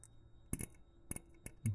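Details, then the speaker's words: Terex crane solenoid clicking sharply and irregularly over a quiet low hum as it pulls in with 12 volts applied during valve/electrical troubleshooting; engine then idles well. "so you can hear that the solenoid clicking cuz it has 12 volts now"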